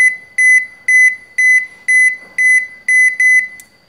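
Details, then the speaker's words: Toshiba washing machine with door lock error E2-3: the lock keeps moving in and out in spin/safety-latch mode while shrill high beeps repeat about twice a second, eight in a row. "there is a phenomenon that is this lock, it keeps running in and out in the squeeze mode or the safety latch mode for the door so it keeps running in and out like that"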